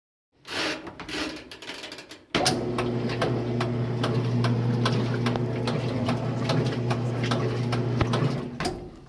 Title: Kenmore Laundry center making clicking noise